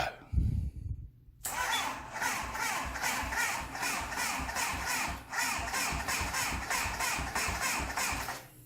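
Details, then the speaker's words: MV Agusta 750F4 cafe racer first start attempt: sluggish, even starter chug about four beats a second for seven seconds without firing; battery nearly dead. "Yeah, so that shows that that battery is in fact pretty much as dead as a dodo, so I don't think this is going to fire"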